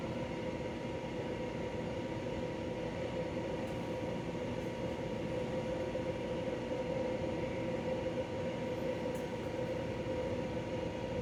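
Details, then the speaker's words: De'Longhi Pinguino portable air conditioner, model PAC AN370G1W, on full blast and cooling well: steady even hum, constant mid-pitched tone, smooth fan rush, no knocks or rattles; running healthy. "The model number is PAC AN370G1W, and it's on full blast. I checked to make sure it's on full blast. As you can see, this thing was getting nice and cold like an ice machine."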